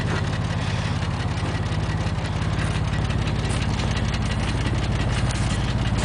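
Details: 2000 Porsche 911 (996) Millennium, 110,000 km: steady idle with a light, fairly regular knock near two per second over the low engine drone; an engine knock of unknown origin.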